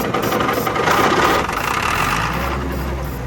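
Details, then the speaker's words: John Deere grader or 6850 articulating tractor diesel being revived, filter primed, started on ether near wide-open throttle: roars with an uneven, lumpy beat that settles on ether; air still in the fuel system. "Just you'll have to keep giving it a little ether till it gets the air out of it."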